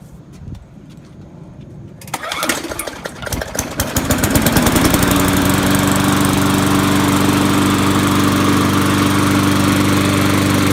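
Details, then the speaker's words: Poulan Pro Briggs & Stratton 5.50 engine on a Murray deck, trash-picked mower previously shaking badly from the blade; after a new blade, pull-start catches after a few tries and settles into a steady even drone with no shake. "previously it had was shaking a lot and it was the blade so I went and got a new blade now it doesn't shake"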